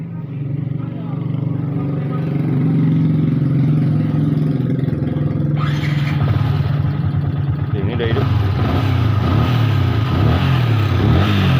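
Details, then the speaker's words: Yamaha Vixion that died while riding and then would not start, running after the tensioner and cam chain were replaced and coolant changed: single-cylinder idle with a light, uneven metallic ticking of about three per second, identified as piston noise (piston slap). "ini udah hidup ya nah ini ini suara kemlitiknya ini ini suara piston ini teman-teman"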